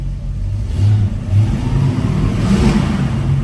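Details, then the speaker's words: 1965 Chevrolet El Camino with a 283ci V8, Edelbrock carburetor and dual exhaust, revved after warm-up; a deep, throaty rumble swells smoothly with no knocks, rattles or smoke; normal V8 exhaust note. "sounds really throaty dual exhaust is just really great on these yeah I don't know if you can hear but it's just a great exhaust note"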